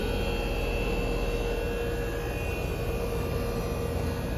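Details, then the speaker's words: 2009 Trane condenser, previously not cooling with a non-functional compressor, just restarted after a new boost cap and contactor were mounted: steady even hum, low drone and fan rush, no clatter or chatter; running normally after repair. "that's a beautiful thing guys you could even hear it nice"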